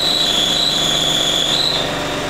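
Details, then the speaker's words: Audi A2, engine idling, clutch pedal held down: high, steady whistling squeal from a defective clutch release bearing, before replacing the release bearing, pressure plate and clutch disc. "when there is wear or a defect you can usually hear a whistling, grinding , squeaking or a slight rattling when you step on the clutch, I'll show you how it is."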